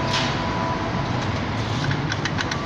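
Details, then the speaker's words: BMW E39 on a lift, driveline turning: sharp light clicks a few times a second. The ticking is louder in reverse, heard on light throttle forward, and there is a clunk when cold. Owner suspects the parking brake drum, differential or driveshaft flex disc; driveshaft joint play is suspected. "你現在目前那噠噠噠是這個聲嗎要再抓看看它這間距聲我是覺得比較那個倒車時很大聲你如果向前開就噠~噠噠怪聲"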